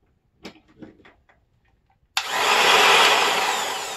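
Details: Old sheet sander, jammed, reassembled with motor repositioned: quiet pause, then motor snaps on to a steady even whir without surging or rattling; runs normally.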